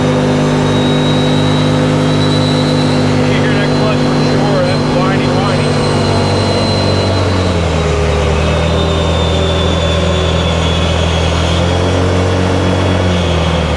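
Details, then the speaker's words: 2018 Odes Dominator 1000 X2 LT UTV on a road test after replacing bad spark plugs (previously lacked power, topped out at 24 mph): strong, even engine note dropping and settling around a shift, no misfire; healthy under acceleration. "I think this one's fixed here I think we got this one lift I can't believe it was just a spark plug"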